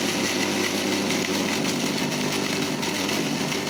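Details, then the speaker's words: Yabano grind-and-brew filter coffee maker burr grinder at end of grinding: even steady motor whirr with no crunching, no beans passing; grinder run empty, finished. "Voilà, quand vous entendez qu'il n'y a vraiment plus de choses qui passent et que le bruit du moteur est régulier, c'est terminé, hein."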